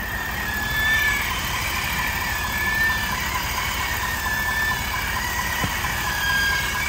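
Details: 2022 Ford F-350 with a noise only when engaging 4x4, heard through a stethoscope: a thin, high chirping squeal comes and goes every couple of seconds over a steady rushing hum, pointing to a squealing front axle hub seal.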